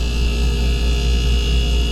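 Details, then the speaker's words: Refrigerator that was blowing warm air, after the relay fix: a steady, even low hum as the compressor and cooling fans kick in and run smoothly with no clicks or rattles; the relay was the fix. "So you hear the compressor kicked in, and cooling fans is also kicked in."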